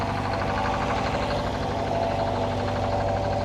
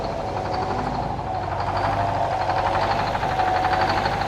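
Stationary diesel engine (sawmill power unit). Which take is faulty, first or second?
second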